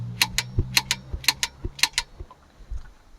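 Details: Click-type torque wrench set to 126 N·m tightening a fitting on an Isuzu D-Max so it seals without thread tape: quick crisp metallic clicks, then softer ones, as the set torque is reached.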